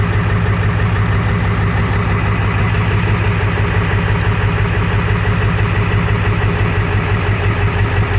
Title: Swamps Gen 3 230cc 100% injectors rough idle after start, dialing in tunes